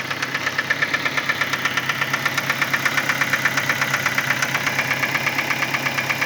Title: My Ford Focus 2010 , engine sound problem